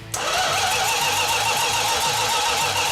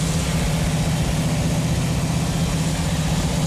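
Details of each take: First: 1969½ Dodge Super Bee 440 Six Pack after about 40 years idle: steady starter whir with even compression pulses, no start despite fuel and spark. A fuel leak came from mismatched fuel-line sizes to the remote tank. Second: Chrysler 440 Six Pack V8 on an engine run stand, first run in 40 years after cranking until the fuel leaned out; steady even rumble at fast idle, no knocks or misses, eases off smoothly; normal running.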